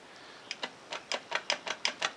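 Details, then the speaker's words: Scrambler ATV transmission, opened after bad noises and metal-laden fluid; in drive, output shaft held while the input shaft is turned: sharp metallic clicks from loose play. Clunking play in the drivetrain, suspected to be the primary drive chain. "there it is all right so I got this thing in drive and I'm holding the output [Music] shaft turning the input shaft and you can hear the SLO in that"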